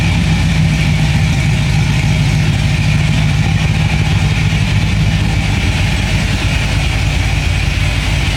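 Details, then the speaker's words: 1957 Chevy wagon V8 after a Sloppy Mechanic stage 2 cam install (about 585 lift). Loud, choppy, lopey idle; the motor barely shakes and sounds healthy. "Uh, so, you know, it sounds pretty wicked than it did before. Uh, you know, this is just a Sloppy Mechanic stage 2 cam."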